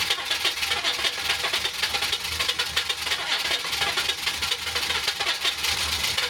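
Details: Suburban with 6.2 Detroit diesel, 25-26°F night cold start on minimum glow plugs via manual glow plug button: engine catches and settles into steady, even diesel clatter with no stumbling or misses; clean healthy cold start.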